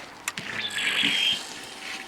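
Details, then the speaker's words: Honda CBR125, 8,700 miles, abandoned non-starter, microphone held close to fuel pump at key-on: a couple of sharp clicks then thin high buzzing whir as it primes; sounds wrong, owner suspects the fuel pump. "I think it's the fuel pump because it doesn't sound right"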